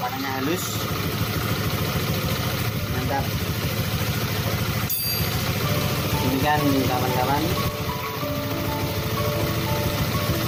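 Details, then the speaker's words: Honda Vario 125 scooter idling after tightening loose radiator fan bolts and radiator bolts: even soft putter with no rough or growling noise, repair successful. "Tidak ada suara-suara kasar atau tidak udah kita cek dari mana sumbernya."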